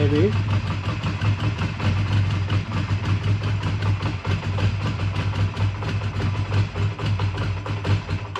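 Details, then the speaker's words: A 2001 Honda Rebel is cold-started with full choke after sitting overnight; the idle pulses unevenly, lumpy and hunting, then stalls. The mechanic suspects it ran out of fuel and sees gas dripping from a tube, so carb work may be needed. "well did we run out of gas or something it's kind of what it sounds like kind of sounds like it ran out of fuels a"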